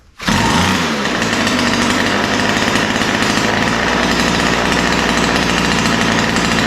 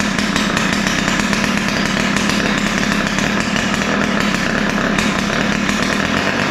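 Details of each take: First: Ryobi two-stroke line trimmer after opening lean idle and high-speed mixture screws and setting low-speed needle slightly rich: crisp buzz starting and holding steady speed, no stumbling or surging. Normal running. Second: Ryobi two-stroke string trimmer: high, raspy buzz with ragged, unsteady idle and rough top end; both carburetor mixture screws set too lean.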